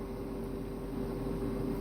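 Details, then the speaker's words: Truck cab inverter gives a steady high-pitched electronic whine that never changes, starting a few minutes after the truck is shut off, even with optimized idle set; constant inverter whine. "This inverter makes this high-pitched whining noise for as long as the entire time."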